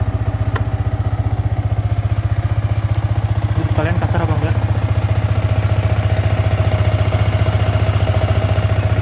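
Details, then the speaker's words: 2017 Yamaha R15 V3 motorcycle: low, steady thrumming about four pulses a second with rattly clatter on top. Owner calls the engine rough in both sound and gear shifts, with heavy vibration at 112 km/h in 6th gear, about 7,000–8,000 rpm. Cause not identified. "Nggak cuma kasar di suara, tapi kasar juga di perpindahan gigi."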